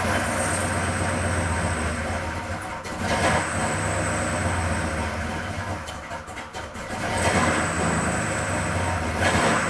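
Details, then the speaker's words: Car engine at start-up during timing and valve lash checks, coolant low: thin, high squeal in bursts over a rough idle from loose drive belts needing tightening. "belts need to be tightened a little bit."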